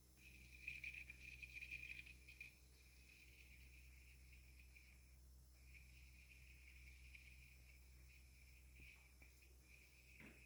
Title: New Blomberg Fridge makes chirping noise :( #blomberg #longeatonappliances